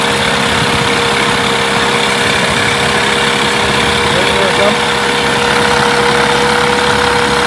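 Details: Mercury 8HP two-stroke outboard, unknown storage time, running in a water tub, in gear: steady buzzy drone at even pitch, no misses or knocks; runs clean with water pumping clear.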